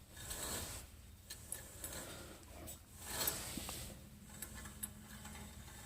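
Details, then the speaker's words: 2004 Toyota 4Runner front wheel hub spun by hand, wheel removed; constant growl at 35–40 mph, occasional crunch though not loose; dry raspy metallic grind swelling with each spin, worn wheel bearing. "hear that sounds like metal so I'm happy I found that"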